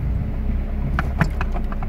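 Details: Honda Jazz with irregular idle problem, after a different idle adaptation procedure: low, steady idle hum with no rise or fall in speed and only a few light clicks; idle stable, no dips on restart or pull-away. Normal idle.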